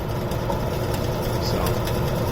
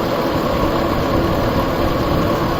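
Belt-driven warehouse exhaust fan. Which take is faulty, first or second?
second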